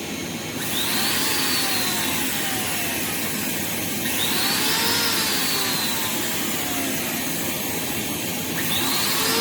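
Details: Rainbow R-2800C power nozzle motor run on the bench before refurb, smelling terrible: harsh, raspy roar with wavering whistles, running rough; needs lubrication and possibly a motor bearing.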